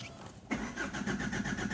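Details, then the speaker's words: Opel 1.9 diesel, cold start in winter frost, pump and valve already replaced, Low Diesel Pressure fault: steady even cranking, never catches; rail pressure only about 60 bar versus 270 bar needed. "О, бачите, не запускається, не запускається."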